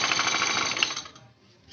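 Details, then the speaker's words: Honda Beat scooter CVT at idle, cover open: fast metallic rattle that fades when throttled; worn, loose roller housing and worn sliders, fixed by replacing roller housing and rollers. "tes ada bunyi Gemerincing bunyi kemresek kesini itu biasanya dari"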